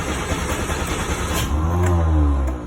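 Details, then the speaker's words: 1949 MG YT cold start after sitting overnight, electric fuel pump ticking first, in neutral with choke pulled out a little: brief crank, catches within a second and settles to a steady even idle; healthy quick cold start. "thought i would try to start it up when it's cold just to show you that it starts up pretty quickly generally anyway"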